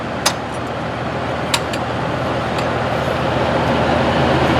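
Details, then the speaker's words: Cleanfix reversing fan after customer repair, installed in the woods: strong even rush of air with only a couple of stray clicks, no rubbing or knocking; working as intended. "there's so much wind coming this way it just Brook that's cool that's how it's supposed to work Lee"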